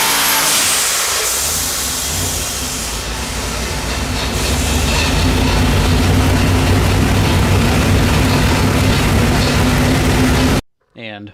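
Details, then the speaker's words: Quad-turbo LS V8 on an engine dyno running pump gas, after two dead cylinders were fixed and fuel was trimmed: a loud, even, powerful roar under load with no missing beats, making roughly 600 hp. "you now listen to the difference here after we got rid of two dead cylinders and cleaned up the fuel in quite a bit this sounds like an entirely different engine it makes PI six hundreds now"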